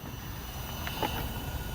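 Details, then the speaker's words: Cheap no-name 500 W Coolmax power supply under Unigine Heaven load at about 420–450 W: steady high-pitched coil whine over low fan rumble, the worst coil whine heard from a PSU. "it sounds like a vega graphics card with the coil whine it's not this that's making the noise it's this this has the worst coil noise coil wine i've ever heard out of a power supply"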